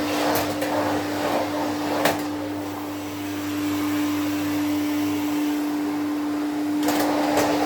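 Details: 1972 Electrolux Z310 cylinder vacuum cleaner, running after its very dirty, noisy fans were cleaned and lubricated: a steady, even, quiet motor hum with a smooth mid-pitched tone and no rattles or scraping. Healthy, normal running.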